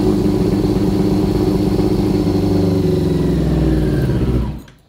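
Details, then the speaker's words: 2000 Yamaha R6 after carburetor cleaning, carbs out of sync: engine runs lumpy and uneven at throttle, then dies after about four seconds; one cylinder not firing. "no traemos funcionando un cilindro ese es el problema que trae la mamalona escuchen cómo escucha como si hiciera corte"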